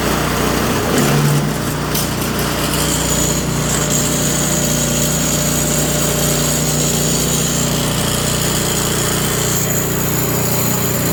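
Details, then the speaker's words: Toro Power Clear 721E electric-start snow blower, brought in for not starting or not staying running; small engine surges and runs rough right after starting, then steadies and runs fine; owner suspects carburetor, later cleaned and rebuilt. "Well, it seemed to be running pretty crappy right at the beginning there, and then it just kind of dropped right out of it."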